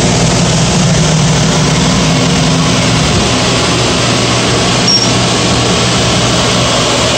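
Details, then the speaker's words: Gas power burner on one of two ganged steam boilers with new 24" Field barometric draft regulator, started on manual override. About 1.5-minute pre-ignition purge before low then high fire. Steady loud fan roar, even low hum, no surging or rattles; normal purge. "you'll hear the relay click the burner will start its purge cycle which is about a minute and a half and it will start low fire and go to high fire"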